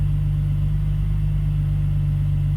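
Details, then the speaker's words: BMW E46 idling after the rattling eBay exhaust headers were fixed, a leaky fuel injector replaced and the idle control valve deleted; steady, even low idle rumble with no exhaust rattle or buzz. "All right, we've got everything put back together, so let's start it up and see if the exhaust still rattles. Cross your fingers. I don't hear any rattles. That's a good thing."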